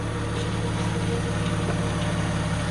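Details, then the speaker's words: 2000 VW Eurovan VR6 petrol idling smoothly with a steady low hum, no misfire or check-engine light, after replacing all fuel injectors (one had failed), spark plugs and plug wires. "there's no more misfiring from that uh dead fuel injector uh you can see sounds good it's running good"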